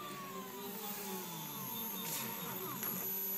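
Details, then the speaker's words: TB6560 3-axis stepper driver board run from Mach3: three stepper motors with a quiet, smooth, unbroken whine, tones sliding up and down as the axes trace a circle cut; normal operation, motors working as expected. "and you can hear it our three motor worked just as we expected and have you hear the song that's very interesting very great and you can see our motor just worked as fine as we"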